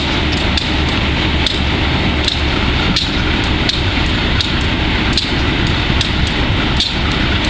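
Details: Wimpy Mtl B30-7 diesel locomotive with bad injectors: sharp knocks about every three-quarters of a second over a heavy diesel rumble, running rough; air intake and some injectors were changed and valves checked.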